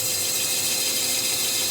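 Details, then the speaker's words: Minneapolis Moline G1000 tractor cylinder being bored: steady hissing cut with a faint ringing as the bar passes the sleeve into the original casting, which cuts harder than the replacement sleeves. Normal boring cut in original casting. "you hear that that original casting I'm not saying it's better material but it cuts harder than those replacement sleeves do"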